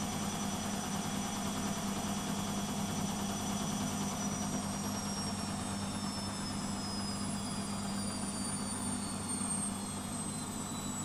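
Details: Beko WMP 601 W 6kg 1000 rpm A+ washing machine spin slowing: smooth drum rush with clean motor whine falling in pitch, no grinding; the grinding heard during wash tumbling is absent when it spins.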